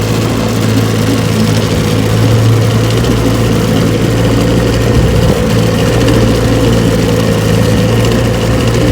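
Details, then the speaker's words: 1968 JohnnyRude 9.5 HP outboard, restored with rebuilt carb, gearcase reseal and new impeller, running in water: smooth, even low putter with no misses or knocks; normal idle. "Alright, I got the JohnnyRude out here on the water. She runs just fine."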